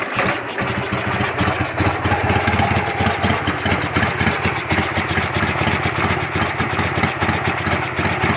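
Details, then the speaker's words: Carbureted engine with a whistle on the right side at idle, seemingly from the carburetor and changing when the choke/enricher is raised: idle thumps unevenly and shakes, won't set a normal idle; cause not found. "когда работает тоже и не выставляется холостой нормально то есть его колотит"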